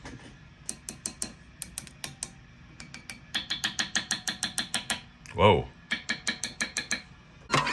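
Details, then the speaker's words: Mesa/Boogie Mark V tube amp in for fizz and lost definition: each tap on the preamp tubes rings through the speaker as a sharp ping, several in quick series. Four preamp tubes (V1, 2, 5, 6) are microphonic. "whoa so one two you have like four micronic preamp tubes here buddy so just keep that in mind"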